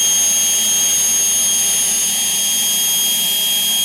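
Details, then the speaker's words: Homemade propane-fueled jet engine built from a turbocharger: after compressed-air start with throttle cracked about a quarter, a steady piercing high whistle over a smooth roar without wavering; sustained, healthy running. "so we cracked the throttle about a quarter and you'll hear it poof and the propane ignite and then once that's going we just turn the air"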